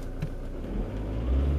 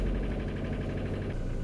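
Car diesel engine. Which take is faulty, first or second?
second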